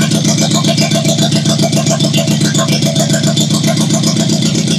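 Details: 1972 Toyota Celica after swap to JDM 18RG twin-cam engine, run briefly with no coolant for timing light: uneven, lumpy pulse around three and a half beats a second with some clatter; rough running, timing likely off.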